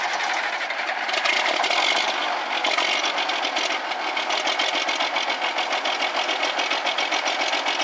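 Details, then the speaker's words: Old Kenworth diesel truck, long-parked, first start in about five years: even, fast clattering idle with steady rhythm, no misses or deep knocks; smoke looks good, runs healthily. "See if one will come to life. Atta girl. Smoke's good."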